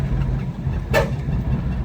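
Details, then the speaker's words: 1984 Buick Regal on its first night drive after months of work. A short, sharp scrape cuts through the low engine hum as the oversized driver's-side front tire (about 255/55–60 R15, formerly a rear tire) rubs the fender. "you can see there it hit again on the driver's side. The front tires are a little bit big."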